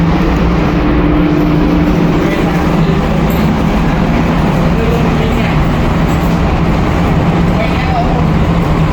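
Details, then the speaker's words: VSD-controlled AHU feeding supermarket corridor jet grilles: a loud constant airflow roar over a faint hum, because tenant slot grilles are blocked by partitions before move-in; fan speed is to be reduced via the VSD. "This noisy sound it go inside to the supermarkets because our supermarket are opening now, and but some tenants are not yet complete installations."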